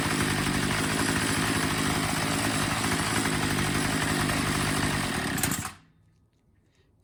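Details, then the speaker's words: Troy-Bilt TB22 EC two-stroke weed eater, during low-speed carburetor adjustment: screw turned in clockwise leans it out, running rough and uneven at about four pulses a second then stalling; idle mixture too lean, back out until it picks up. "so you'll hear it when i lean it out i almost want to die and then you turn it back until it picks up and then that's your idle setting"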